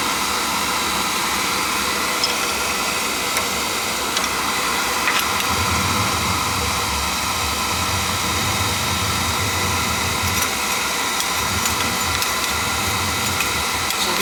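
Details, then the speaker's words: On a no-heat call, a small two-section McLean oil boiler whose burner started, stopped and made noises after pump pressure was raised (controls suspected) fires on a call for heat with a steady rushing roar, no pulsing or sputter; normal burner firing. "Call for heat. Fire it up nicely."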